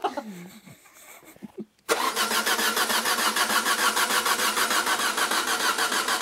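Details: Citroën BX Evasion being put back on the road, carburetor gaskets, spark plug and battery new: after a pause the starter cranks steadily at about 200 beats a minute but the engine never fires; cause not confirmed.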